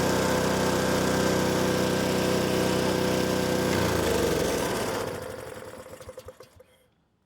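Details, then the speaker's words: Honda HS520 snowblower four-stroke with new OEM carburetor and adjusted governor, warmed briefly: steady single-cylinder drone holding speed, no hunting or surging, throttle plate floating as it should, then shut off and coasts down; normal running. "you can see now that governor is working perfectly and the throttle plate is standing on its own. Not at full, not at less than full, just floating around as as it should."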